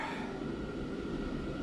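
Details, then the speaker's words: Garage shop gas heater's first start of the season on a cold day in the 40s °F, after purging: pilot lit and held about 10 seconds, then the main burner catches with a steady, even low roar, no popping; normal ignition. "there we go pilot light is lit it's transferring its heat over as soon as that uh is burned for about 10 seconds release and Fire"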